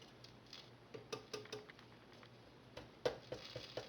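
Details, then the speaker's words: 1939 Motorola Model 52-T1 tube radio, first power-up test after bypassing the switch, no antenna connected: faint irregular crackles and pops on a quiet background, no station received; number 80 tube lit and warm, dial lights working. "oh i know what it is i haven't got an antenna hooked up either so i may hear some crackling but yeah there is some crackling going on"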